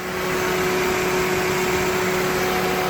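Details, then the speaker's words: 2003 Toyota Corolla 1.8 L 4-cylinder with AC, idling just after accessory drive belt replacement, in Arizona summer heat: even steady idle with light fan rush and faint whine, no belt chirp or squeal; normal idle. "There we go. New belt. Don't have to worry about it blowing out on me."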